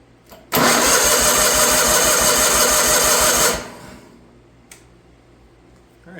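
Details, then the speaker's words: Wheel Horse 416 Hydro with a 16 hp engine, sat outside two years, battery installed, first key turn: strong, even starter cranking for about three seconds with the engine spinning freely. Cranking is normal and the starter and battery sound healthy. "all right this first things first let's toss a battery in it let's see if she'll turn [Music] over"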